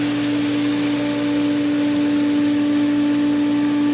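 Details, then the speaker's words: Pool pump after opening the skimmers, with air in the winterized lines: steady, even hum with one clean tone and no gurgling or surging; the pump has regained prime and is running normally. "It's sucking on it. It's getting it. Oh yeah, that's a better sound."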